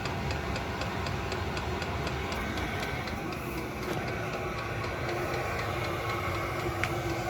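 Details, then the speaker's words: Cheap Chinese 8 kW diesel heater running; steady rushing fan with a light pump tick about four times a second, a fair bit of fan noise that is expected from the airflow, normal. "not a bad unit it's got a fair bit of fan noise she would expect because there's a fair bit of air coming through"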